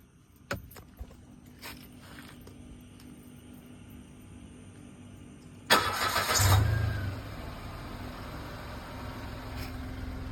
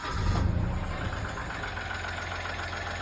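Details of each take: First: 2014 Mitsubishi Mirage, cold start the morning after topping up engine oil that was low. The strange noise at start-up, which had come with the oil warning light, is gone; after a few clicks and a brief crank it settles into a steady, even idle. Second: 2014 Mitsubishi Mirage petrol engine just after a cold start: a loud rough surge settling into an uneven, clattery idle, then the noise stops along with the oil light; the dipstick confirms low oil, and oil is then topped up.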